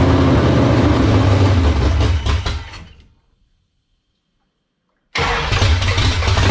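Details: 1978 Dodge Warlock truck, 360 small-block stroker V8, first start in the truck after the idle was raised: it catches with a strong, even lope, cuts out, then restarts firing cleanly. It sounds healthy, with 75 psi oil pressure at idle from a high-volume oil pump.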